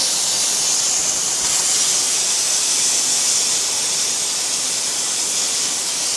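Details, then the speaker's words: Pressure cooker on the stove with its heat being reduced, at full pressure: a strong, steady, high-pitched steam hiss that holds even throughout; the safety valve is venting normally. "tenang aja kalau udah mendesis gini artinya klep pengaman kita ini bekerja dengan baik"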